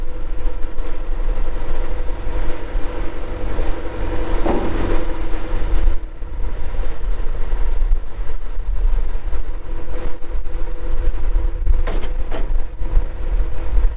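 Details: 1997 John Deere 310E 4WD backhoe, 2,280 hours, diesel, engine cover shut: low steady unbroken diesel rumble with a few clanks nearby; normal healthy idle.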